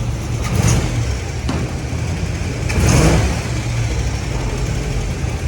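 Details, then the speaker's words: 1950 GMC on S10 frame swap, solid engine mounts, cold February morning, timing set by ear because timing cover doesn't match balancer: revs climb sluggishly on blips and drop back heavily; lazy throttle response, timing and carburetor suspected. "it's going to feel a little rougher just because of solid mounts you know yeah it's a little lazy"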